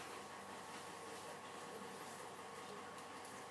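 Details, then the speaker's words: Old Australian-made tool post grinder running: steady, rough rushing whir from worn spindle bearings; motor bearings to be replaced. "You can hear those spindle bearings, they're not real flash, so we'll try and track down some spindle bearings for it and get this back in action."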